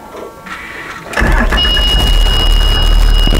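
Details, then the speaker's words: Bluebird school bus with Cummins ISB diesel that had a crank-no-start caused by a bad ECM, after installing a good ECM: short crank, then it catches and settles into a steady, deep, even idle; normal start. "right there as you can hear the engine is running it started so the problem on this bus was a bad ECM so we put it on good ECM on this one now the engine starts"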